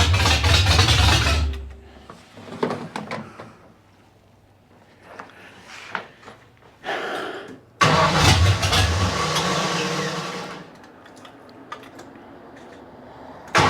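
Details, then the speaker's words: 1972 Ford Maverick with newly built 317 V8, open headers, run briefly without coolant; idle bounces and surges rather than settling, carb floats set too low, owner also suspects vacuum/air leak; erratic idle. "all right well it runs yeah it just seems like it's bouncing around a little bit it's not real consistent so floats got to come up too they're too low"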